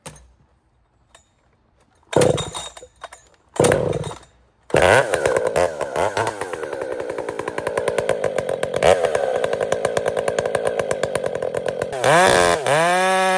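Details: Cold start of chainsaw with new RipSaw exhaust, choke only, no priming bulb: two pulls, fires and holds a crisp even buzz, revving up cleanly; healthy saw running right.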